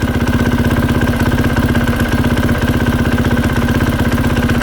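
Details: 2020 KTM 450 SX-F at idle: light, regular tick-tick about four a second from the clutch area that stops when the clutch lever is pulled in; worn clutch hub rubber dampers, later replaced.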